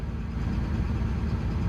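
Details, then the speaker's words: Develon DX225 excavator diesel just after start-up runs low, lumpy and unbalanced, with vibration and an audible tap-tap-tap. It makes black smoke when revved. Diagnosed as a faulty injector. "it's a bit unbalanced a bit of a vibration well here another listen yeah I can hear that tap tap tap okay"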